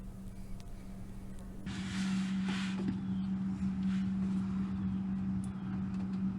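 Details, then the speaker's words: Suzuki Cappuccino after new differential bushings were installed and diff fluid refilled: steady, even drive hum with a low drone and no clunks or knocks; the earlier differential clunking is gone, fixed. "car's all back together, and the noise is gone. Differential isn't making any more clunking noises. So that fixed the problem."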